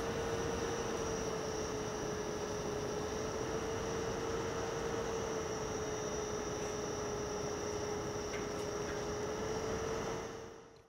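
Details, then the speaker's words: TP-Link TL-SX1008 8-port 10GbE switch, stock cooling fan before replacement with Noctua: steady whirring hum with tone near 450 Hz and faint high whine — loud cooling fan. "put in a knock to a fan because you know that fixes noise complaints on fans all the time and that's the complaint on this it is the fan"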